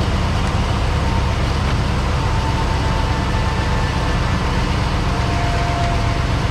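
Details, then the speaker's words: Truck first start after sitting about eight months, 60 psi oil pressure: low, steady drone with an even beat, no tapping or clatter, sounds like a giant fan. Normal running. "first time it's ran in about eight months youtube got 60 pounds of oil pressure hmm this thing sounds like a giant fan"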